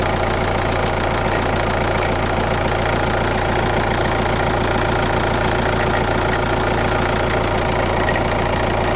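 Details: Kia Ceed 1.6 CRDI D4FB diesel, 115 km, at idle: fairly regular knocking about two beats a second over steady idle; weird engine noise, cause not pinned down.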